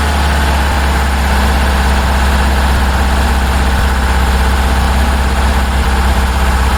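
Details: 1966 Porsche 912 flat-four cold start at about 60°F after fuel filter line fix, carbs and distributor not yet sorted: rough, lumpy idle with uneven clack about twice a second; loose valve adjuster and two dead cylinders.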